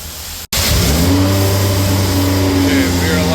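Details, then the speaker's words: B58-swapped BMW E24 petrol six, after the plugs were cleaned: it revs and holds a raised speed with a wavering drone, still misfiring though much better. "Okay, we still got a miss. A lot better. That's a lot better."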